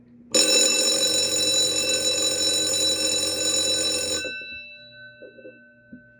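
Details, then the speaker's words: Edwards Adaptabell fire alarm bell, a 12 V model run on 9 V: loud continuous metallic ring for about four seconds, then it cuts off and rings down; the bell strikes properly and works normally. "all right this next one is an Edwards adapt Bell i' say this is pretty cool and this is a 12vt model but I'm just going to power it with a 9vt just to make things a lot easier"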